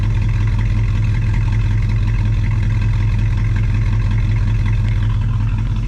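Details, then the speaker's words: Cadillac 390 V8, which had glitter in its oil, after a swap from a 4GC carb to an Edelbrock: deep, even idle burble with no misses or knocks. Slight blow-by, audible exhaust leak, about 20 psi oil pressure. Normal idle. "but really all things considered it sounds pretty good"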